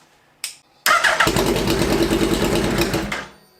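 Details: Hayabusa-swapped Citicar mini EV (Hayabusa engine, 11,500 rpm redline, about 155 hp) after an ECU swap to a 32-bit unit and the faulty new fuel pump was replaced with the original: starter turns briefly, engine catches and runs with a rough, busy beat, then shuts down; normal start.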